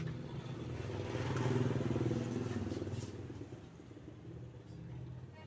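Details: Tiger motorcycle stumbling at low revs and idle, needs choke to start and can die at idle: low uneven thumping idle that rises and sags; misfire traced to a counterfeit spark plug.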